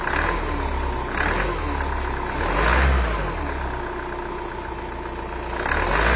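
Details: 2.0 dCi diesel revving up and down on a cold start with a rough, uneven clatter that rises with revs; abnormal cold-start engine noise, cause unknown.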